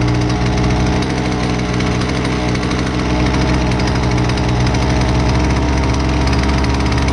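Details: Husqvarna 128LDX two-stroke string trimmer, fixed after sitting unused: busy, buzzing idle with a slightly uneven beat while the carb is being tuned; keeps running, normal.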